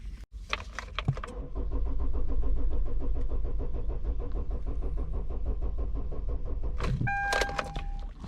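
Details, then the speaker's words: 2013 Kia Optima with crank-no-start and no PCM communication: steady starter whirring for several seconds, but the engine never fires, the tach needle never moves and the crankshaft position sensor shows no response; cranks but no start. "all right i'm gonna crank it again let's pay attention on that needle let's see if it moves nope no movement at all"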